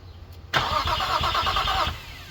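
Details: Infiniti G35 first crank after an engine fire, with a new alternator, reconnected starter and power wiring, and 3 blown fuses found: even starter cranking for over a second, never fires. Owner suspects two cylinders lack spark and smells raw fuel.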